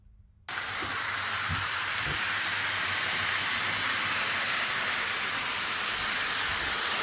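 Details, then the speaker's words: TT120 model railway layout, train on section with no cork underlay: steady soft hiss, no loud drumming from the track; quiet normal running. "that nice and quiet there lovely"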